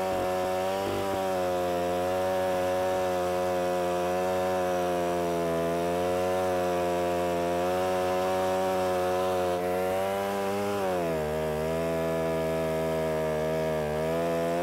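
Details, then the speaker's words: Alpine Magnum portable stump grinder trenching toward 12 inches deep, possibly wet soil: steady high buzzing engine note under load sags in pitch around eleven seconds; motor bogging slightly as cutter digs in. "if this happens to be a little bit on the wet side and so you can hear the motor bogging down a little bit"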